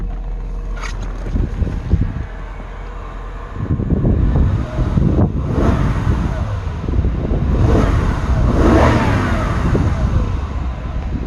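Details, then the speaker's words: Mercedes-Benz engine at 60°C, not fully warm, after serpentine belt and pulley work. A loud, uneven mechanical clatter under the drone while running and revving; excessive engine noise. The owner fears an internal bearing, balance shaft or timing chain problem. "but i think this engine's still making too much noise i'm starting to get worried that it's maybe uh an internal like bearing issue"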